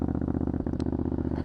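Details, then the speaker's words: Older air-cooled fuel-injected Triumph Scrambler 900 twin just started with choke lever pulled fully out, already fairly warm from riding: quick, even thumping idle held at raised revs to reach operating temperature; fast idle on choke. "and as you can hear it's just idling at higher revs um this just gets the bike up to its normal operating temperature"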